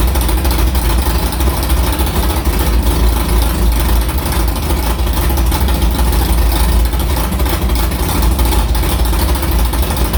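Deep, steady, even rumble with no misses, knocks or hunting throughout; the engine is idling cleanly.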